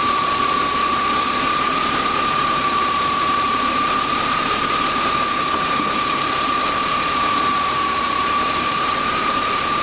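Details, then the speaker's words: BMW 328i E36 inline-six, suspected head gasket issue and possibly wrong radiator: even steady idle with constant high hum, no stumble or miss; no steam or water in oil, but coolant level dropping; engine runs smooth. "there's no water in the oil coolant level's going down so motor runs smooth so"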